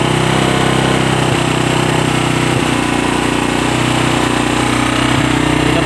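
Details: Motorcycle after a fix for hard starting: a steady, even putter at idle with no misses, knocks or rattles; the engine is running normally.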